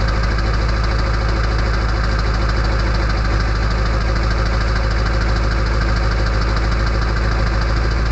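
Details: Early 1999 Ford F-250 diesel cold start at 34°F on high idle with the exhaust back pressure valve (EBPV) closed: loud, even diesel clatter at a fast, steady idle with no misses; normal cold start.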